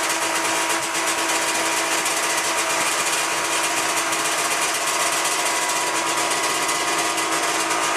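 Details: 1997 Ski-Doo MX-Z 440 fan-cooled two-stroke snowmobile, after replacing a cracked carb flange: even, steady high-pitched idle with no hunting, surging or stumbling; idle problem fixed.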